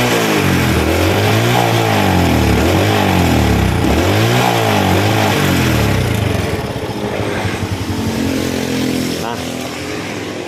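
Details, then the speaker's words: Honda Grand motorcycle after carburetor service and valve adjustment, kick-started, throttle blipped: revs surge and sag, lagging behind the throttle; owner attributes it to ignition rather than carburetor, throttle hesitation. "so this motorbike cranks easily to start, then when it starts, it stutters, like it's late for gas"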